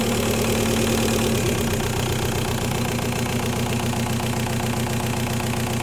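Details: 1.9L TDI diesel with a fuel problem, idling: sharp fairly regular knock about four times a second over rough clatter; diagnosed as bad injectors.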